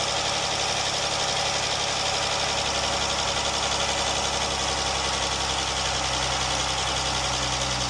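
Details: Jeep engine after rocker arms and lifters replaced, check engine codes reset, fully warmed up: even, steady idle with no top-end tapping, just smooth hum; normal idle.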